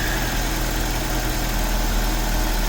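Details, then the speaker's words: 1984-89 Toyota Van Wagon, first start after fuel pump work, about four gallons of ethanol-free fuel with ATF added: steady, even low idle with constant deep hum, no misses or stumbles; original fuel pump working, engine running correctly. "i was gonna order a new one but since that fuel pump is working that sounds like it's running correctly"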